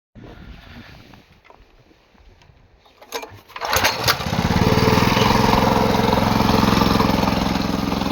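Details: Vibratory plate compactor started after service (oil change, new spark plug, valve lapping and adjustment): quiet handling, then the small single-cylinder fires and settles into a steady, even chug near 190 per minute, running clean and healthy.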